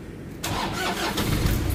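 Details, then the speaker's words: Manual diesel with reported low power, black smoke and hard starting: brief crank, then it fires immediately into an even, steady idle clatter; it starts easily, so the heater plugs show no issue. "So hindi naman siya hard starting mga katropa. Yan. So hindi naman siya hard starting mga katropa yung ating unit."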